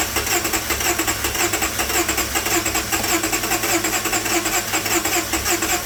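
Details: Mazda RX-8 towed in as a crank no-start, running on a separate clean fuel source with acetone and fuel treatment cleaner after water-contaminated fuel found: fires and settles into a steady, even idle; normal running.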